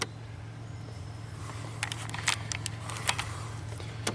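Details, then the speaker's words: 1991 Ford Probe V6 5-speed, 129,000 miles: faint low motor drone in the cabin with scattered clicks and rattles as the early-90s automatic seat belts try to move; both belts stuck in their rails. "and here it has the classic early 90s automatic seat belts this one's stuck this one's stuck that's customer complaint number one"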